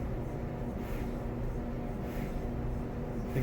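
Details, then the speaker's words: Samsung dryer after tub/drum wheel replacement, reassembled: steady low rumble with soft swell about every 1.25 seconds as drum turns, even and quiet, no louder than before; drum running normally. "all right so we got it back in it's home again everything put back together let's fire it up no louder than it was before"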